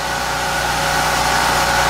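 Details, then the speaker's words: Hurricane-flooded generator engine, previously under salt water (electronics submerged, rust visible), runs after fuel had been run out of the carburetor; steady, even drone with no misses, knocks or surging; it produces voltage; normal running. "Okay. That sounds really good. Yeah. That's surprising. That part still works."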